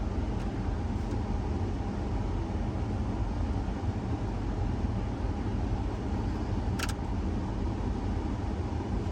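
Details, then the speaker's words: 1992 Ford F-150 Flareside after blower motor replacement: steady even fan rush with no rattle, squeal or scraping, and no noise at shutoff anymore; new blower motor running smoothly. "yep it doesn't make that noise when it turns off anymore so that definitely fixed our problem"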